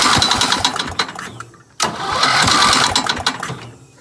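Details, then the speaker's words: 1975 Gravely 816S after fitting a starter from a parts engine, cleaning carbon from the head and retightening head bolts, run on ether: harsh, loose metallic clanks about three a second with sputtering; owner fears a rod, cause unknown. "GOT A CLANKER. CLANKER, CLANKER. I DON'T know what that clank is, but that ain't cool, man. That is so weird. I got to diagnose that clank because sounds like something's about to blow like the rod or something."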